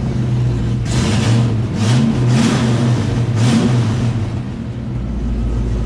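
Deep smooth idle with several short clean blips of throttle that rise and settle evenly, a healthy V8 with a good exhaust note.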